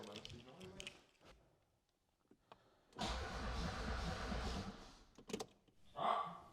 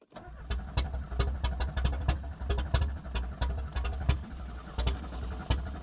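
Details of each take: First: Audi 80 with injection meddled with, non-starter: about two seconds of cranking turning the engine over without catching; spark test during cranking shows no spark. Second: Audi 80 that would not start, spark fault traced and new ignition control module fitted: cranking with uneven bursts of firing that catch and stumble, engine lighting off as spark returns.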